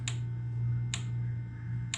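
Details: 2007 VW Rabbit 2.5L during VCDS output tests for overheating diagnosis: three sharp clicks about a second apart over a steady low hum as the camshaft position actuator is triggered; actuator switching cleanly, normal.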